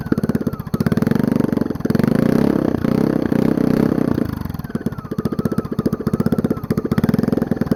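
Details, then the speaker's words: Single-cylinder generator engine long stored, run with muffler removed on a rusted header pipe, flywheel exposed: loud unmuffled bark, uneven firing stumbling and sagging; barely idles. "so really doesn't like to idle much does it"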